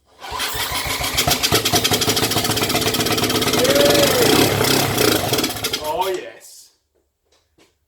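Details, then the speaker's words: 1980s Honda ATC200 three-wheeler, long parked, no crank: on starting fluid in the cylinder it catches and chugs about four firings a second, slightly ragged, for roughly six seconds then dies; runs briefly. "It's running. Yay! She runs! All right, one more."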